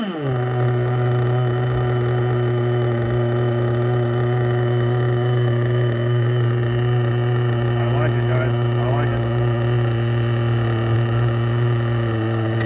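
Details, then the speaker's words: Vintage nitro RC engine (HPI RS4/MT2, OS tagged) running after refuelling and reattaching a leaking fuel line that kept slipping off the tank nipple. It fires and holds a strong, steady high buzz with no misses or rattles, running cleanly. "there we go there we go we got fuel everywhere but we know this sucker runs that was the only thing that mattered"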